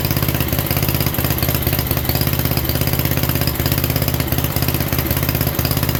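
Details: 1967 Unico 7hp tractor, first run in 27 years (since 1995) after carb clean and rebuild, fuel valve left open: steady even thumping around three beats per second, no misses or knocks; normal idle.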